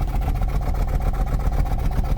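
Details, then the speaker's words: 2004 Toyota Celsior with 3UZ V8, cold, heard at the tailpipe idling with a lumpy, uneven pulse instead of a steady beat; rough idle smooths out by 2,000–3,000 rpm, cause not yet known, vacuum to be compared when warm. "so using our ears we know something's not right let's comp be that vacuum once it's warm"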